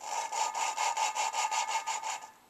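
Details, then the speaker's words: Suzuki Sidekick cylinder head rebuild, lapping a new valve with a suction-cup tool: quick gritty scratching strokes, still harsh at each start; valve not yet seated, keep lapping until the loud grinding sound goes away. "you hear how it starts out one sound and then it kind of goes down I want to keep doing this until that first like loud grinding scratching sound completely goes away"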